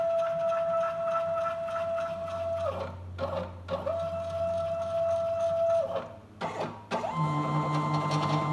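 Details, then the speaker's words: Small homemade CNC router, Arduino with CNC shield, X-axis stepper with $110/$111 set to 1000: steady high-pitched motor tone with a harsh metallic vibration buzz at that speed setting; stepper resonance at low feed speed. "então é é óbvio que aí tem uma vibração metálica ele se tem um barulho de vibração Metallica mas se acontece com essa velocidade com esse parâmetro de velocidade o motor ele gira e ele vibra muito mais então por isso que tá muito mais alto"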